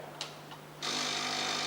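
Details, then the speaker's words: Xiamen Fast Cleaner Auto Coffee Maker 010 with right rotary tap opened: a couple of faint clicks, then pump runs with steady even high buzz and low hum filling the cup; normal operation. "We should then hear the sound of a pump as the cup fills with water."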